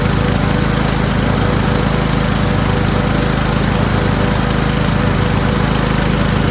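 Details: Toro Wheelhorse 1438HXL with repowered 17.5 hp engine, after mower deck belt and pulley replacement: steady drone with smooth regular beat and deck whirring, no knocks or slipping under deck load; everything works. Normal running with deck engaged.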